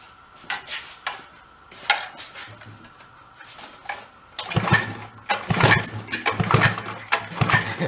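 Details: Chrysler Sno-Runner snow cycle (title says 1979, speaker says mid-70s), sat 40+ years, spark confirmed; irregular pull-cord cranking bursts with rattles, never fires, cranks but will not start.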